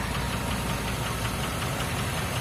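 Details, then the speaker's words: GMC Copart truck at about 12k miles, owner suspects a bad lifter on one side or low oil: light, quick steady ticking over the idle note. Ticking at idle. "I hear the tick you hear the tick I hear the tick let's give it a second tick tick tick tick tick tick"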